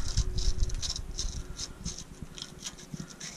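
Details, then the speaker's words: Toyota Land Cruiser replacement axle bearing, hand-turned on bench: uneven scratchy rattle with irregular clicks; bearing completely full of dirt, not worth cleaning and regreasing, to be replaced with new bearing and seal. "that thing is completely full of dirt and i don't think i'd feel comfortable just spraying it out and re you know greasing it"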